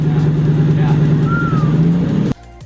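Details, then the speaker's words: Lexus LS400 V8 (drift rebuild) first start after sitting a long time, fuel pump switched on: steady low hum with no misses, knocks or hunting before shutdown, a buttery smooth normal idle. "Fucking buttery smooth idle."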